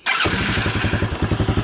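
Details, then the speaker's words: Honda TRX200SX ATV, barn find, after fitting carburetor, cone air filter, proper throttle cable and lithium-ion battery: catches right away on the key and settles into an even, steady single-cylinder beat with no misses; healthy easy start. "and it starts that easy. So one could hop right on it and take a ride."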